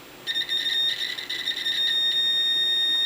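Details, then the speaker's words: Multimeter continuity test on the switch of a non-working Nebo Protec Elite HP190 weapon light, switch in the on position after no continuity when off: steady, clean high-pitched beep about three seconds; continuity, switch is good. "and we have continuity so we know that the switch itself is good"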